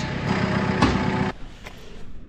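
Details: Farm diesel after extended priming to clear air from the fuel on a frosty morning: settles into a steady, even low rumble with no misses or stumbles; back up and running normally.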